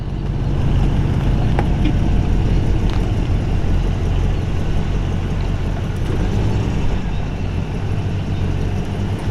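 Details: 1950 Oldsmobile Rocket 88 Fastback, Model 50-3707, V8 running: deep, even burble holding a steady beat with no knocks, ticks or misses; healthy, smooth-running engine.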